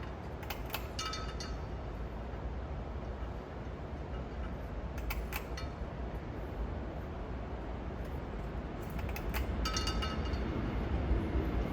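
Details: Restored Casablanca Victorian ceiling fan on high: smooth, steady low whoosh with light clinks from the light fob tapping the center shade; the fan itself runs healthy.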